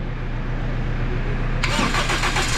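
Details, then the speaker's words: Toyota Altis, earlier vibrating and misfiring with lost compression on cylinder 1 from a cracked engine valve; after valve repair and setting it catches cleanly and settles into a quiet, steady, even idle with no shake, miss or knock. "sayang yun mga boss oh tahimik na siya mga sir ganda ng pagka setting"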